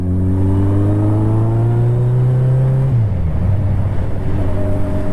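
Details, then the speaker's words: Motorcycle after running a whole bottle of Seafoam through the carb and engine, run hard: steady engine drone dropping cleanly as throttle eases, no more low-rpm backfire or spitting through the intake; normal running. "so the bike is much happier now that uh a lot of the seafoam has worked its way through the carb and inside of everything and all the parts are opened up and they're happier than they were so it's definitely running a lot better"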